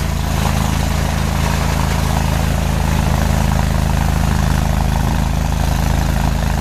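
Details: Farmall Super C tractor idling after a cold start at -5°F (25 windchill), kept on a battery maintainer, needing starting fluid to fire; steady low thumping idle about three beats a second, no misses or knocks, running normally.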